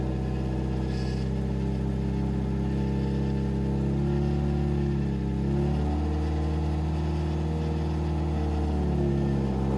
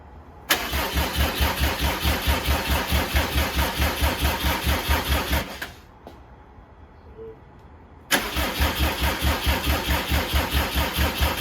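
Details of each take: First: 2007 Subaru WRX swapped to STi engine, break-in run at about 2500-3000 rpm for 15 minutes: steady, even drone at fast idle with no knocking, misfire or stumble; normal running. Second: 2007 Subaru WRX swapped to STi engine, first start-up, booster pack hooked up for stronger crank: strong, even cranking about two beats a second, pause, cranking again, never fires; crank no start from incorrect crank timing.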